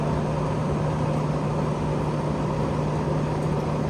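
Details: 2009 GE AEW05LMS2 5200 BTU window AC (13.40 oz R22) shortly after compressor start, fan on high, drawing 3.116 A, expected to rise as head pressure builds; reading 75°, set 67 then 69. Steady hum, low drone, airy rush, no rattles: normal running.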